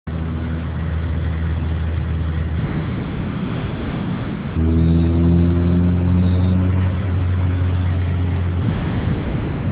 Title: mk2 with g60 swap, weird noise, part 2